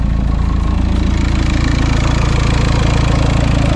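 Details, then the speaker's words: VW Golf V diesel at its first start after an engine and cylinder head rebuild, idling after months off; it took 3–4 minutes to reprime and camshaft adjustment is still pending. An even idle with a steady low thrum and no tapping; runs smooth. "a l'air de tourner rond bah écoutez il me reste plus qu'à remonter tout ça"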